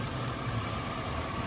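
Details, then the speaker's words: Chevy Silverado 5.3 V8 with exhaust manifold leaks on both sides from broken bolts, front stud and rearmost stud broken: steady idle with faint fast ticking; exhaust manifold leak tick, before gasket and bolt replacement. "It's ticking on that front side and also back here. Front studs busted."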